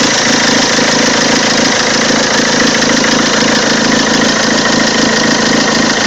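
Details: Peugeot 206 2.0 HDi 90 hp XS, 2003, diesel at idle: odd engine noise, steady clatter with a regular pulsing knock around three beats a second; cause not identified.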